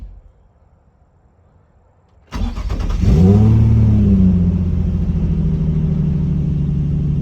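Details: Nissan 350Z, raised in the air, test start after repairing a no-crank, no-start fault (cheap AutoZone starter previously fitted). The first two attempts only clicked; then a quick crank catches and settles into a smooth, steady idle. Normal start.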